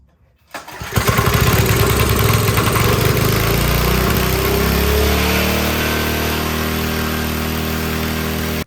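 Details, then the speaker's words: Briggs & Stratton 5 HP engine on a generator, after moving the governor adjustment all the way: engine catches and races at a high, hard buzz, never dropping back to idle; overspeeding. "Well, it's running better, but man, it sounds like it's going to the moon. Or I don't know, like it's going to take off."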